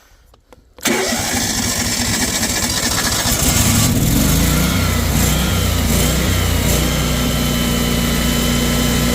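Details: Kohler 14kW generator, model 14RCA, after replacing dried-out broken bushing that caused loping: starts and settles into steady, even drone with no hunting or surging; fixed, running normally.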